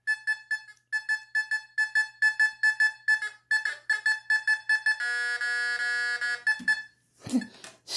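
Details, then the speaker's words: Fisher F44 metal detector air test in Custom mode with user-set tones on a Victorian-era lead weight at long distance: quick mid-pitched beeps about twice a second, then a steady chord-like hold; normal target tone. "okay lead weight victorian era look at this i'm all the way back here"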